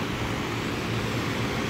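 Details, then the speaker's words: Universal condenser fan motor just installed, wired back to three-wire with capacitor refitted, checked for correct rotation: even steady air whoosh and low hum, no rattle, scraping or wobble; normal running. "just got it all back and tighten see if it goes the right direction there you go back up and running"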